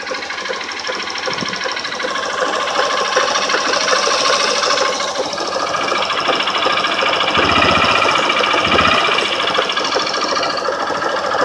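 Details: 150 cc motorcycle at low idle: quick, steady tec-tec tapping, about two to three per second, that also appears on climbs under load; a worn connecting rod bearing in the bottom end, though a mechanic called the noise normal.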